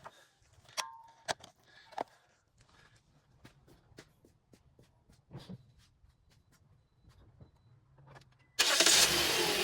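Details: 2008-2010 Toyota Corolla 1.8L during timing chain tensioner replacement for a rattling noise; quiet clicks, then engine cranks and catches into an even idle with no rattle; normal engine start.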